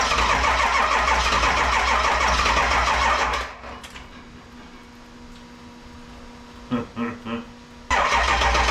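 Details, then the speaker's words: 7.3 Powerstroke diesel swapped into a 1951 Ford shoebox with standalone wiring, cold start in Minnesota, smoking: steady starter cranking about four beats a second cuts out without firing, then restarts; charger trips out, supply too weak to crank fast enough. "it cranks good and then it slows down so much that it won't do in mhm it sucks by the time it gets to the point where it starts to the fire it's when the charger trips out it dies"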